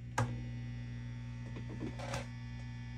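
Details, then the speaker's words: Fender Bassman 70 silverface tube amp powered up on a current-limited circuit, all volumes down: steady low 120-cycle hum with buzzy overtones plus handling clicks; power amp hum suspected from filter caps or power tubes, unconfirmed. "move this cabin out the way so we have clear shot at the 42s back here you could hear the noise rolling on no doubt"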